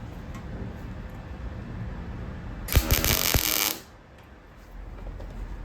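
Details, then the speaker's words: MIG welding on Escort body swap onto Mazda MX5, wire speed about 5, other settings about 5.5: roughly a second of fairly even crackle not yet smooth sizzle; voltage slightly low, to be turned up. "Bit better, but again, I mean, the weld's okay, but it's a bit too prominent. So we'll just turn it up a little bit rather than turn the wire speed down."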